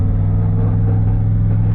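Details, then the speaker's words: Turbo Chevrolet Silverado driving after rear gear swap and Caltracs install: smooth low road rumble, no whine or howl from the rear end; new rear gears quiet. "Gear's quiet. Yeah, sounds good."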